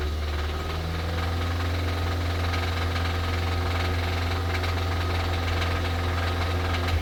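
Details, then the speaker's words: Towed-in 2017 Kia Sorento 4-cylinder (possibly turbo), started on a booster pack: heavy low drone at idle with an uneven rapping knock underneath, steady throughout. The internal engine knock means the engine needs replacement. "But it looks like we're going to be doing a motor, because I don't know if you heard that rap, because it does rap."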